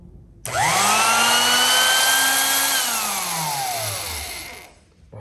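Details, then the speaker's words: Vintage Thor copper line electric drill after restoration, rewired, greased, motor cleaned; smooth even whine climbs to full speed, holds steady, then coasts down smoothly, like an old vacuum cleaner, healthy motor. "that sounds nice. Sounds like an old-fashioned vacuum cleaner, actually."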